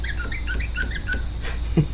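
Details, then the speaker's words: Rear brake master cylinder on a 2004 Honda Silverwing 600 scooter being rebuilt, fitted loosely; quick high chirping squeaks with each lever pump from a dry new piston, to be lubricated with brake fluid so the seals aren't destroyed. "that's a dry piston in there so don't do that much I'm going to drop a couple of drops of oil down in this thing or brake fluid rather uh so we don't destroy those seals right away"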